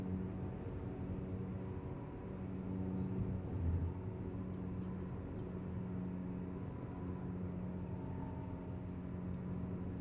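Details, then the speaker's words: Vehicle cruising on the road: a steady low droning hum under road noise that grows louder when turning left. The right wheel bearing is suspected, to be verified with the vehicle jacked up. "So it seems like when I give it a little turn to the left here, the noise gets a little louder. So I'm thinking it's the right wheel bearing."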